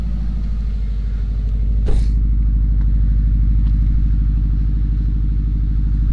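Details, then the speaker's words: Subaru Bugeye WRX just after start-up following a new coil pack to cure a misfire: quick catch, then smooth, even, quiet idle with no skips or stumble; all cylinders firing cleanly after repair. "sounds good quiet but hey so we'll go ahead and take this thing for a test drive"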